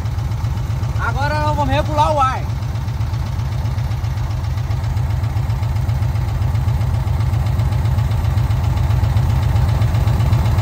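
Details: VW Kombi air-cooled engine just restarted after a carburettor jet change, slow to start because fuel leaked when the jet was removed: steady, even low chugging at about four beats per second, holding smooth; normal idle.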